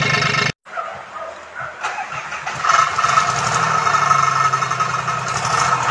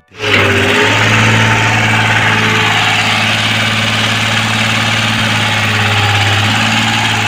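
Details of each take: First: Komatsu PC-20 excavator with a 3D84 diesel suffering low power, black smoke and hard starting: a brief crank, then it runs with an uneven, lumpy knock; rough running from faulty injectors, later repaired and replaced. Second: Komatsu 3D84 diesel on a PC-20 excavator that had low power, black smoke and hard starting, after injector repair with an electric fuel pump and filter added: it catches quickly and holds a smooth, even idle with no knock, miss or hunting.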